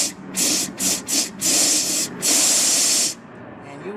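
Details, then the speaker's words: Ford Explorer / Mercury Mountaineer 5R55S/5R55W transmission case, air applied to a case passage: sharp compressed-air hiss bursts cutting off cleanly, oil blown out of the hole; known common case leak requiring case replacement or repair. "I'm gonna put some down in the hole where you can see it blow out you can hear the noise you should be able to see this see all that oil came out that is what's happening"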